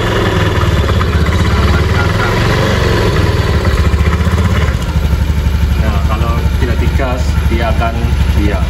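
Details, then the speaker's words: Honda Beat FI scooter with smooth starter, engine running: quiet at idle, deep rough growl from CVT/final drive when throttled; suspected worn pulley and final drive shaft bearings. "kalau apa eh digas kalau tidak digas itu dia tidak Berisik tapi kalau digas dia akan bunyi seperti ini"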